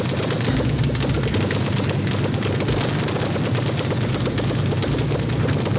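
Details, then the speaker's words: Alfa Romeo GTV6 with new Busso V6, restarted after fixing a kinked fuel line that caused loss of fuel pressure; kept under 2,000 rpm for early break-in: dense, rapid crackling firing at a steady low speed, no misses; normal. "nous avons redémarré le moteur il a redémarré, tout semble normal"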